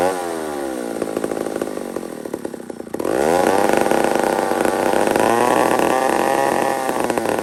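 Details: Old McCulloch 1-71 two-stroke chainsaw after a carburetor upgrade: after a dip it surges and races to a high, wavering scream; owner sees a huge vacuum leak at the intake gasket.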